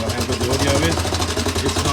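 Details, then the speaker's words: Honda CT110 postie bike engine on a replacement test carburettor, cam chain already adjusted: fast idle with steady light tapping knock, then stalls; cause not yet found. "not a happy engine. It's got some serious noise coming out of there, so I'll keep it off. It's stalled, but it's got a knock in it."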